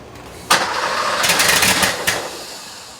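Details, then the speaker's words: 1977 Porsche 911 Turbo, first start after engine install with rebuilt ignition distributor, timing turned fully to the lock; catches with a sharp bang, runs ragged and uneven for a second, then dies, not running on all cylinders. Misfire. "I've been cranking on this thing for quite a while now, and well, it still has a problem. I can hear a couple things happening. First thing is that it's not running on all the cylinders."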